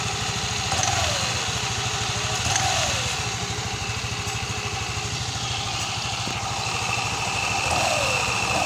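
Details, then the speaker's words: Yamaha Mio MXI 125 after connecting rod replacement: quick, even putter with no knocking or rattle; smooth, healthy normal idle. "At ito na sa ngayon yung mga kaidiyas, napalitan na natin yung connecting rod. Ito na yung kanyang tunog. Pakinggan natin."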